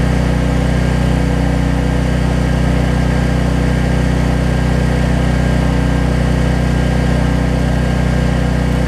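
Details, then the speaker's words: Troy Bilt generator after fixing no-spark fault by removing the low oil sensor module, running at about 264 V output then loaded with about 1500 W: steady even drone that changes tune under load; running normally. "next step let's plug in something you'll hear it change tune hopefully you hear that oh yeah"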